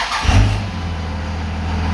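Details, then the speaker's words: 2001 Dodge Ram 5.9L Cummins 24-valve diesel with VP44 pump, crank/no-start fixed by replacing an odd-looking fuse: short crank catches within half a second, settles into steady even low diesel idle; normal start. "there it goes now you technically don't have to wait for that weight to start like because i mean it should be immediate you know just like that"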